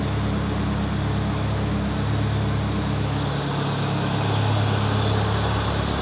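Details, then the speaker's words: Nissan 200SX turbo after removing a walnut from the turbo, running in limp mode without MAP sensor connected: steady low hum, even drone, no turbo whistle or rattle. Much quieter; normal running. "it's running like it in safe mode in limp mode because I don't have the map hooked up it always kind of runs like that"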